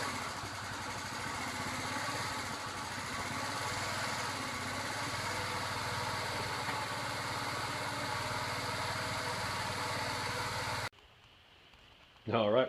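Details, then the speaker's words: 2014 Tao Tao 50cc scooter after carburetor fix for slow takeoff, on test ride: small engine buzzes steadily with even pitch, no stumbling or bogging, then cuts off; now takes off from a dead stop as it should. "the carburetor was definitely the problem uh now takes off from a dead stop just like it should"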